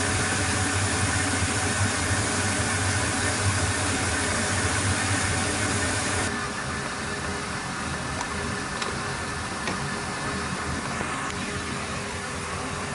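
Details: Boat engine at wide-open throttle in the final test after fuel and spark fixes; it previously would not exceed 4,000 rpm. Even, steady roar with no misses, easing lower partway through, pulling cleanly.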